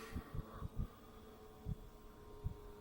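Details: Chinese diesel heater for a camper van, with new fuel lines and a fresh pump, run off a Mercedes battery, starting after priming: soft low thumps every fraction of a second over steady fan hum; dosing pump pulsing normally as it warms.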